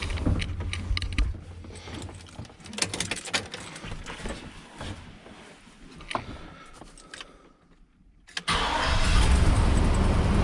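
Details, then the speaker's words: Truck with 85,000 miles, last inspected in June 2022, starting after a rodent-damaged ground wire was repaired. It settles into an uneven, loping rough idle; owner suspects old gas, ignition not yet checked. "starts now she's running a little rough and I'd be willing to bet that's because it's got uh one crappy old gas in it"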